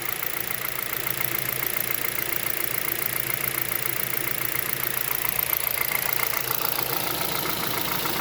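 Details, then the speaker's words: 2011 Hyundai Solaris G4FC, 166,000 km, 15°C outside, warming to 58°C coolant at about 900 rpm: steady light tapping about 3.5 per second from the top of the engine; new timing chain, tensioner and phaser fitted; suspected piston slap or valves. "начал появляться стук сейчас вот он появляется стук с прогревом становится отчётливый"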